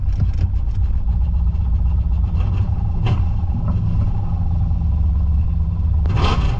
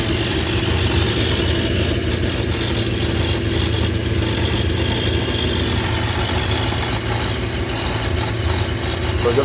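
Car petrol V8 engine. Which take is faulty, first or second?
first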